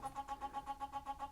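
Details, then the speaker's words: Denon DCD-1800R CD player with an intermittent tray, erratic disc reading and a fast-forward fault: a fast, even chirping about eight times a second over a faint hum from the flywheel. Suspected uneven disc spin, not confirmed. "is coming from that flywheel. But I'm now wondering whether that's the issue, whether it's not spinning the disc at a consistent speed and therefore it's struggling to read the data."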